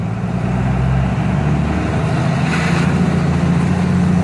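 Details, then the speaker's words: HE351VE variable-geometry turbo on a diesel, run by an Arduino Lil' Blackbox controller on a custom curve, about 10 psi boost while driving; steady, even drone with no surging, hissing or flutter; engine runs happily, normal healthy turbo boost. "sounds good motors friggin loves it"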